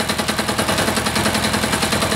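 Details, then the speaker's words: Freshly reassembled air-cooled diesel engine at a slow idle the owner estimates at about 500–600 rpm; loud, rapid, even chuffing with a steady beat and no stumbles or knocks. Normal idle. "probably 5 600 RPM maybe there I don't know it's not Wicked uh Wicked slow I wouldn't want to go much slower I don't think"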